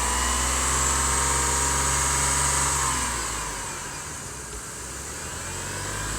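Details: 2003 GMC Envoy petrol engine makes a loud weird noise when accelerating: a steady low drone with a harsh high rushing hiss that eases as revs fall. It also cuts off when the heat is turned on at idle, and the coil was already replaced.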